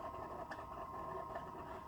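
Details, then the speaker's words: 1985 Sanyo Super Beta Betamax VCR playing a tape: steady whirring hum with faint uneven chatter; it loads and plays but not for long, noisier than it should be; owner suspects worn rubber parts needing replacement. "so it even loads the tape and plays just doesn't play very long and you can hear the noise"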